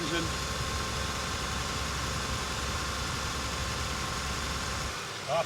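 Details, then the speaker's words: 2002 Toyota Tacoma V6 at 44,684 km, cold start, mic near the front of the engine: a steady, even idle hum with no knocks, ticks or misses; it runs perfectly, a normal healthy idle. "Now showing 44,684 kilometers. And yeah, it runs perfectly as you'd expect."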